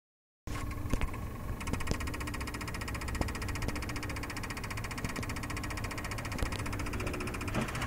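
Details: 2005 Ford Crown Victoria: a fast, steady chatter of clicks for several seconds after the key is turned, but the engine never cranks.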